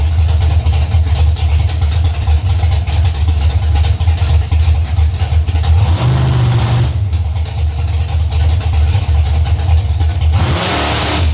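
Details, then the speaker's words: Warming V8 idling high after several converter flashes while testing carburetor adjustments meant to cure a staging stumble; loud deep burble at elevated speed with a brief blip; owner plans turning idle mixture screws out about half a turn on all four corners. "after i flashed the converter those few times got out the throttle it wanted to idle really high so it's warming up now idle's coming up"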